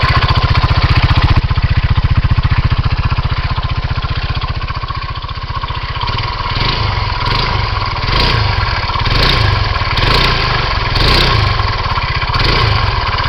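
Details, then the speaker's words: 2007 Kymco Agility 125 scooter, 16,000 km, at idle: steady single-cylinder beat with a faint extra rattle and rhythmic ticking from the engine area; cause unclear. "start it up I don't know if you can hear it there's like a speling coming from in here it sounds like"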